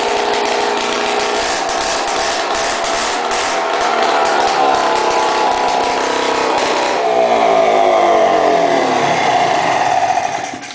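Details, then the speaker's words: 1995 Polaris 400L Sport two-stroke ATV running with the exhaust removed after a mouse nest was cleared: a very loud, raspy, crackling bark as revs rise then fall. "And I'm going to show you what a four-wheeler sounds like without an exhaust. This is a two-stroke. It's really loud."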